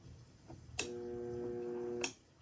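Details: Homemade light-duty spot welder on mains power, energized by a reversed momentary switch: a clean steady hum switches on with a click, holds even for about a second, then cuts off with another click; normal transformer hum.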